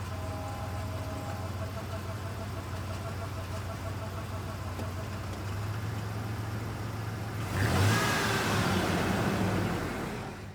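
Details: 1994 Ford Ranger 3.0 automatic, fluid found low and topped off with Dex/Merc, metallic residue on dipstick: steady idle whir, then harsh rushing noise swells when shifted from neutral into drive, reverse or overdrive; noise only in gear, cause not found.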